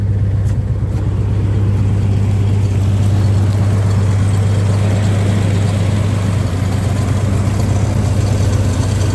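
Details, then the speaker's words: 1962 Dodge M37 truck petrol engine, sat 40 years, run on a temporary fuel feed with throttle spring refitted and accelerator pump likely not working: steady, even, quiet low rumble with no knocks, misses or rattles; normal idle. "quiet. Not bad at all. See if we can idle it down just a little bit more."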